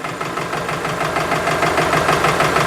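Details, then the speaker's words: Subaru engine knock diagnosis at idle, mechanic's stethoscope on one side of the engine front: quick, even metallic clicking, several per second, other side and middle sound fine. "so what I'm hearing when I put it on this side I'm hearing a metallic clicking over here is fine and the middle sounds okay"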